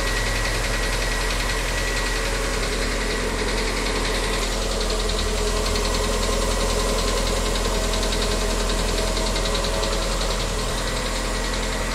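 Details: VW Gol G6 petrol engine, new car, 4 months old and 4,000 km, knocks steadily at idle, about two to three per second, on every cold morning start; noise worsens daily, dealership has not fixed it, cause unknown.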